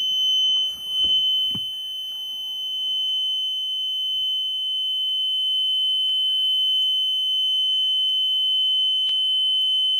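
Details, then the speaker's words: Diesel bus after fuel filter change and priming, about fifth start attempt, clutch in: steady high dash tone, engine not running; wait-to-start warning during glow plug preheat. "I think this is maybe number time number time number five and it was really it was close it was trying wait to start clutches in"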